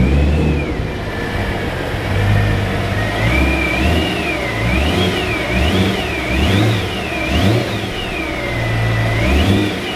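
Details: BMW E92 M3 whine from the front of the engine at idle and slight load, pitch rising and falling with revs; power steering fluid change didn't cure it; pulleys and tensioners suspected, then replaced, fixing it.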